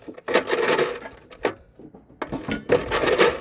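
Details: Honda EU3000is inverter generator whose dipstick broke off inside the crankcase, with plastic debris on the gears. Recoil cord pulls give short rasping, clicking ratchet bursts and no firing, spark plug out. Owner says it still sounds a little rough.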